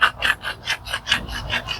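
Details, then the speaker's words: Honda wheel bearing, customer complaint of humming while driving, turned by hand off the car: dry gritty rasp about five times a second; worn balls and degraded factory grease; replacement made it smooth and silent. "Estos valeros se van desgastando. Tienen una lubricación con la que nacen de fábrica, pero conforme pasa el tiempo, esta lubricación se va perdiendo, se va degradando y por ende un ruido al girar."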